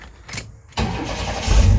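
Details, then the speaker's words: Chevy G10 Gambler van after fitting the cheapest parts-store muffler and a short tailpipe tucked up high: a brief crank catches fast, then a low, even, moderately loud idle rumble with no rasp or leaks; owner says the motor runs great. "There we go. It's really not incredibly loud, and it sounds pretty good."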